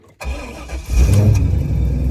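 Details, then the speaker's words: 2001 Corvette Z06, 146K miles, previously dead with no crank, after ignition switch resistor repair: brief crank, then the engine catches cleanly within a second and settles into a strong, steady idle; the switch was the culprit. "That appeared to be the problem. So car is running."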